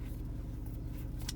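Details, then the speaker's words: 2007 Mercury Mountaineer idling noticeably high just after a cold start at about -5 degrees outside; steady low rumble with no dips; owner suspects it's a first head gasket symptom, with white smoke seen; unconfirmed; on its third radiator, not overheating. "it's idling pretty high right now and this is why i think it might this is part one of the head gasket symptoms"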